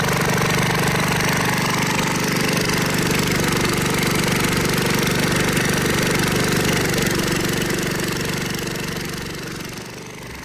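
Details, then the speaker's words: Kohler K181 single-cylinder on a log splitter, after flywheel repair, new points and new carburetor: steady even thump about four per second, no misses or knocks; healthy. "Got the engine back together, got a new carburetor on it, and it's back on the log splitter. Let's start it up and see how it runs."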